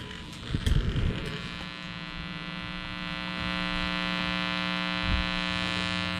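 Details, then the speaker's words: Vintage turntable played through a receiver's front auxiliary analog input with its ground cable not connected: a steady low mains-hum buzz and no music. Ground-loop hum is suspected from the unearthed lead. "I have no option to hook up the ground cable to anything, so I'm sure we're gonna hear the static. So you can hear immediately like a buzzing noise, but at least we got something."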